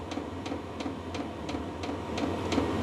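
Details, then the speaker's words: VEVOR diesel heater (about 5-litre diesel tank) restarted in a cold workshop at 9 degrees, outlet reaching 20 degrees; crisp even fuel-pump ticks about three per second over steady fan hum, quite noisy, warming up: normal running. "It's quite noisy. Yeah, can actually feel it warming up a little bit."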